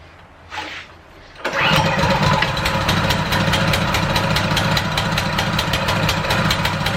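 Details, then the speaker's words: ETQ high-pressure fire pump small engine, free unit after cleaning, new fuel and carb check (carb barely dirty, oil clean): starts on first pull and settles into a steady, even idle; healthy engine. "starter first pulled thing runs great idles really nicely"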